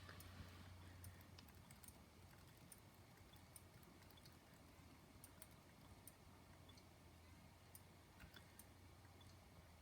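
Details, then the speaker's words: Faint, sharp clicks over a low steady hum from a failed 100 GB SATA hard drive on power-up; judged dead. "I don't think it'll be detected at all you could definitely hear the clicking"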